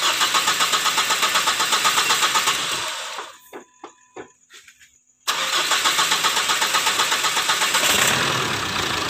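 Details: 2008 Mitsubishi Strada Triton diesel, complaint of hard morning starting and vapour from oil filler cap, oil treatment just added in case the oil is too thin: steady cranking about four compression pulses a second, pause, more cranking before it catches.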